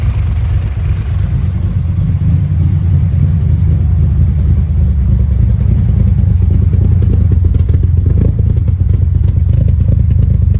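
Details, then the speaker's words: Nissan S13 Silvia after fuel pumps were done: a steady, deep engine note that holds an even run with no misses or stumbles. The engine is idling normally. "Shout out to Matt who come over and help me um helped me get it started. Basically did all this, got all the fuel pumps done, turned it on and it ran and it ran really well."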